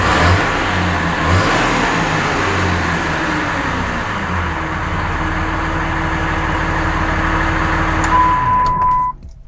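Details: Dodge Ram 2500 with freshly rebuilt 5.9 Cummins diesel on first run, air still in the fuel lines and no coolant: clatter picks up and revs cleanly, then settles smooth before shutdown, no knocks or misfires; normal running.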